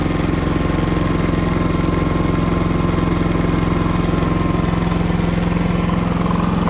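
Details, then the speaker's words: Genmax GM7500 iAED dual-fuel inverter generator with about 9.3 hours of use, no load, 120/240 V setting, heard from about 15 feet at its left side (62–65 dB): a low, steady hum pulsing about three beats a second with no knocks or surging; healthy idle. "Hear how quiet she is. You can just hear how quiet she is."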